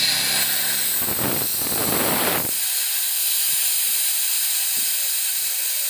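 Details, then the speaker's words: Oil-free (oilless) used air compressor switched on repeatedly until hot: motor hum and rattle stop suddenly after seconds while air keeps hissing out; thermal protection cuts the motor when hot, cause possibly motor winding or thermal protector. "Nah problemnya mungkin seperti ini ya, ini panas, protek nggak mau hidup lagi."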